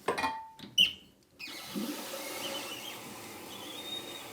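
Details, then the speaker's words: Fluidmaster 400 toilet fill valve after replacing its leaking gasket; clunks and a flush, then a steady soft hiss as the tank refills with no more leaking: normal refill. "that seems to have done it as you can hear there's no more leaking and our problem seems to be solved"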